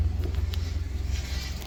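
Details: Mazda Miata with K-series engine, tuned, after vacuum leaks were addressed: steady low idle with a smooth, even pulse and no hiss or stumble. Air-fuel ratio about 15.2–15.4, slightly lean but fine.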